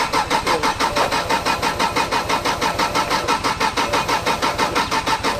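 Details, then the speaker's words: Drift car with its ECU unplugged: starter cranks steadily at about three turns a second but the engine never fires; the fuel pump is turning on and off. "The fuel pump's turning on and off."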